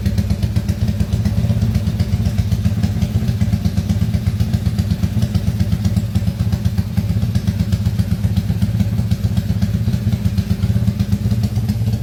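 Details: Motorcycle engine rebuilt under warranty after failure (crankcase repaired), just started and still tight for break-in: steady, even idle at about four pulses a second with no knocking or ticking. Runs smoothly.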